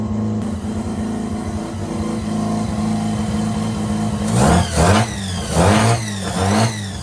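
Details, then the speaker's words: Mazda RX323 13B rotary idling after a 20-minute drive with no misses, following an IDA carb reseal, distributor timing and basic tune; owner suspects the old igniters were faulty. Even idle, throttle blips rise and fall cleanly. Normal idle. "just come back for probably 20 minute drive and it didn't miss a beat. So maybe those igniters were stuffed. I'm just going to let it idle for a little bit. See if anything craps out on it. But I think it's good."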